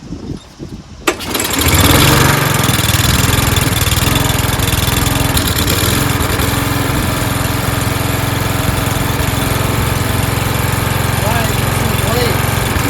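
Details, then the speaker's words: Toro Recycler mower being pieced together from broken units, first start after fuel added: short pause, then it catches and runs steady and even, no misses; engine, clutch and blade PTO work; owner suspects stripped rear-wheel gears. "Right. Okay. So we know the engine works, right? Clutch system, PTO, engaging the blades when you want it to, works."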